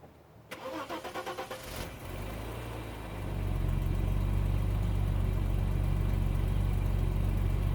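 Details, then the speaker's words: Bitter SC (SC 377), Bosch L-Jetronic fuel injection, first cold start a day after replacing the fuel injection harness. About a second of even cranking, then it catches cleanly into a steady, smooth idle; the cold start problem is judged solved. "based on this result I would now argue that the cold star problem of sc377 is solved and I hope that from now on the car will run when I want it to run and not when it wants to run"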